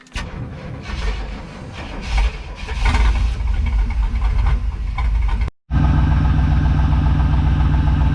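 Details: 1994 GMC C3500HD bucket truck converted to a dump truck, new Carter electric fuel pump on the frame rail, battery just charged after it wouldn't crank. Engine catches, then runs with an uneven, lumpy idle, running rough. Cause not confirmed.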